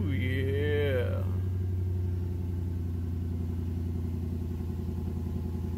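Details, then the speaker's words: 2003 Infiniti M45 V8 after replacing the faulty coil that caused the misfire: smooth even idle with no stumble, plus a slight exhaust leak, suspected at a resonator. "has a little slight exhaust leak but I don't think it's anything major I think it's one of the resonators but wow that sounds good"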